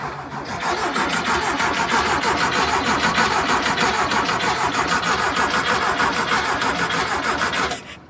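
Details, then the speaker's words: 1973 VW Thing with a swapped-in VW Beetle engine, being restarted: the starter cranks at an even rhythm for seven seconds without catching. It is not pulling fuel pressure, and the fuel pump is suspected. "yeah it's not it's not pulling fuel pressure"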